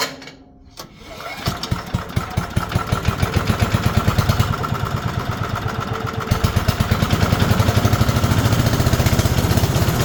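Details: Older 5 hp Briggs & Stratton on an abandoned chipper, revived with Deep Creep on the valves. Restarted with the air cleaner refitted and a little choke: it catches after a short pull and runs a steady, even putter that builds slightly. Normal running.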